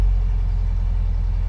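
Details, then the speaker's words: 1956 Volkswagen oval-window Beetle with manual choke, started with choke pulled out: even low chugging idle, revs higher with choke out and settling lower as the choke is pushed back in; normal. "I hear the engine sounds a little high because I got the choke out the more you pull it out the higher the engine's gonna rev here and the more you pull it in it starts to go down"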